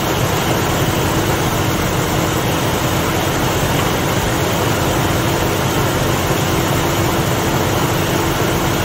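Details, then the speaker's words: Ford Mustang (1966/67) 289 V8 automatic, cold start at about 70°F: loud, steady fast idle with constant rumble, no clear misses; running very rich, held up by a very lazy, slow-opening choke. "it was running grossly Rich really really really really rich when we first started it up one thing we did notice is a very very lazy choke"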